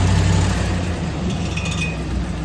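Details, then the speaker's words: 2007 Chevrolet Silverado: light, quick metallic tapping under the truck riding on the engine drone during acceleration; starter bendix drive gear not fully retracting, clipping the flexplate, found by pulling the starter. "The bendix of the starter is not fully retracting. And that's what that freaking noise is."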